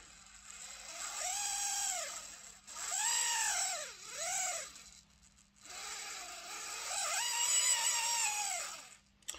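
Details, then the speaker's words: Lima Eurosprinter model locomotive, body removed and motor bench-tested before lubrication: thin high-pitched screech swelling and fading with motor speed, traced to the sealed-in worm gear area; suspected to just need lubrication. "Yeah, screeching's coming from in here."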